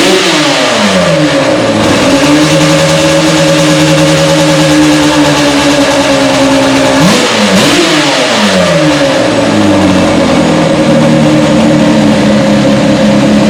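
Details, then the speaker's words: Yamaha Banshee two-stroke ATV after replacing a weak-spark ignition with Chinese eBay coil, CDI, stator and flywheel (owner suspects the stator had failed): crisp revs climbing and dropping cleanly with throttle blips, no misfire or cutting out; running strong. "So let's go ahead and try and fire it up quick."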